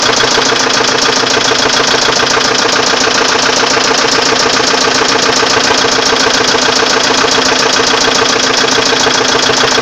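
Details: Volvo 850 at idle: sharp, regular tapping of about three to four knocks a second from inside the engine; owner asks how to solve the knocking noise.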